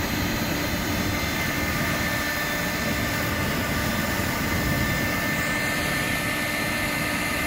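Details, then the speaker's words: Woodgas gasifier flare with rebuilt vacuum-motor blower, thermocouple about 775–780°, barrel 129°: steady even roar of flame over blower hum, no sputtering or popping; flare burning cleanly. "oh yeah easily you can hear it roaring you can hear that stuck at roar"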